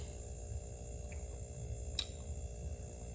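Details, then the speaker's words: RCA 5.1 cu ft chest freezer, compressor that wouldn't stay running after defrosting and being moved, clicking, now running after the broken starter relay was replaced: steady low hum with faint even buzz, no clicking off; normal running. "yep sounds like it's staying on"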